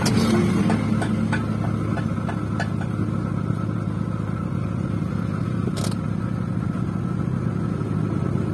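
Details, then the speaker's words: First-generation Honda Brio at idle, AC switched on: coarse, gritty rumble only when compressor engages, gone when AC off; rough AC compressor pulley bearing. "Ketika kompresor AC dia berputar, dia kasarnya. Dia kasar seperti itu. Kasarnya ada di kompresor."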